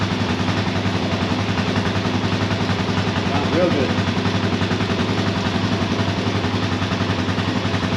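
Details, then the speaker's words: Kawasaki KFX400 quad after a starter clutch replacement; an even single-cylinder thump, about three or four beats a second, steady and free of clatter. It idles healthily. "all right let's fire it up [Music] sounds good to [Music]"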